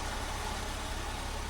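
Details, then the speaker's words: Mercedes W203 C240, M112 V6, after resoldering the Temic ECL-G4 400 W extra-fan module that had cut in and out then died: soft, even idle under a steady airy fan rush, no rattles or surging; fan back to normal. "normal normal normal noall function dan fan muter fan kembali normal P kembali normal setelah proses reparasi"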